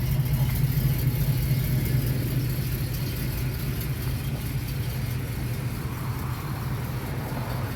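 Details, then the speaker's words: 1981 Pontiac Trans Am V8 after leak fixes, idling with condensation dripping from the exhaust: a deep, steady burble at an even beat, no misses, knocks or ticks, healthy idle. "Let you guys hear the exhaust. Look at the water dripping out of there. Condensation. Sounding good, she's looking good."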